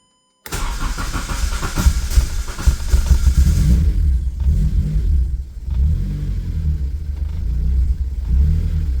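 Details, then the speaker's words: K24-swapped Mazda RX8 with full 3-inch exhaust, untuned (awaiting dyno tune), big fuel pump: engine fires up after a short crank, settles into a deep steady rumble with a few throttle blips; starts and runs normally. "I don't know much about tuning, but I got it to be able to fire up and drive. So, I'm pretty stoked on that."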